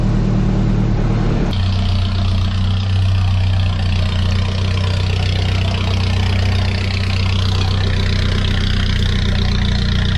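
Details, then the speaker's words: 1994 Nissan Hardbody mini truck after a motor teardown and rebuild, warmed to operating temperature. It catches and settles into a steady, even idle with no knock or tapping and nothing leaking: sounds healthy. "Man, she sounds good, y'all. Think we saved it. Nothing leaking out anywhere."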